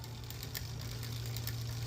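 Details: Aventon Soltera 2.5 e-bike on kickstand after rear derailleur adjustment (previously chain came off in first gear, grinding against motor, and wouldn't shift 4th–5th): steady hum with light clean clicks stepping through cogs, no grinding or skipping; normal derailleur shifting.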